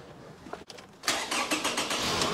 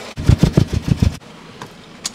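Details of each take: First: Petrol engine with 252,000 km, started after an ignition coil was reseated during misfire diagnosis: it cranks about a second, catches cleanly and settles into a smooth, even idle. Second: Engine deliberately made to misfire by disabling cylinder number one: lumpy, uneven low thumping and vibration, running on only three cylinders, for about a second before shutdown; check air intake leaks, spark and fuel.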